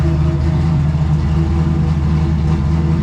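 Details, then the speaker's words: Brand-new small-block Chevy V8 after fixing an intake valve rocker stud that caused blue oil smoke, steady even idle, smooth low rumble, no misses, ticks, knocks or smoke; normal idle. "no issues no smoke she's been running for about half an hour"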